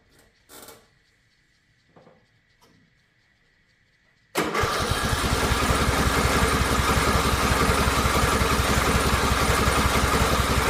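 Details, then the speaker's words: Riding mower in park with choke on: steady, even cranking for seconds, never catching. Cranks but won't start, cause unknown. "It's just not catching. It's acting like a like it wants to, but it's just not it's not catching. And I don't know why."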